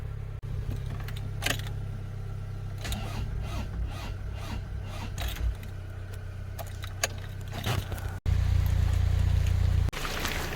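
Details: Car with a battery that won't hold its charge, being jump-started from another car (Alfie) in the rain. Steady, fast cranking churns on for seconds with brief pauses and never catches; it turns over but won't fire, long cranking, no start.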